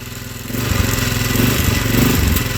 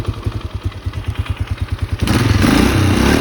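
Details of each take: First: 2004 Polaris Sportsman 400 on a cold start; uneven stumbling pulses that never settle, and it stays running with a little throttle but dies with more: rough running. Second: 2004 Polaris Sportsman 400 after cold start, owner suspects pressure-wash water in carburetor freed up by throttle blips and black smoke: starter cranks, catches in about two seconds, revs, then settles to steady even idle; running properly now.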